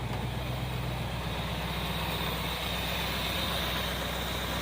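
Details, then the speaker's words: 1964 Plymouth wagon with a 440 V8, starting for the first time after the plug wires were rotated one tooth, with old plugs, cap and wires: a steady, even low rumble at idle, no misses or knocks, pretty smooth. "Let's see here. Fire right up. And it's pretty smooth."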